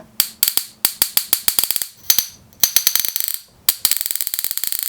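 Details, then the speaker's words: Miles Hivolt IT30 hipot insulation tester with output turned up to about 10 kV and ozone smell. Sharp, irregular snapping cracks in quick bursts: high-voltage arcing as the output connector breaks down, likely needing an insulated plug. "I can smell ozone and I can hear I can hear that high voltage now ease which is kind of quite frightening"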